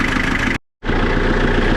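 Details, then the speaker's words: Fully deleted diesel with loud, steady clatter at idle and no clear separate deep knock; owner can't tell whether it's just a loud diesel or a rod knock, and a fuel leak was found later. Cause unconfirmed. "Damn, this thing's loud. I can't tell if this is just a loud diesel or is it a Rondout."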